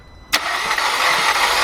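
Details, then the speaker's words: VW/Audi 2.0 engine, Passat/Jetta/A3/A4 family, cranked by a helper: starter spins quick and even with no compression chuffs, a light hollow whir; no compression, timing then checked via the inspection cover. "Man, this sounded like it had no compression at all."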